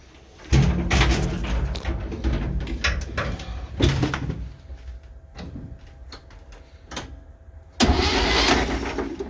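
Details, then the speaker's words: 1966 Chevy G10 van, spark plugs out with ATF in cylinders: starter spins the engine in even bursts with no binding or clunk; turns over freely, not seized; no spark yet. "Oh, she spins over nice. Well, once anyway. That's very promising."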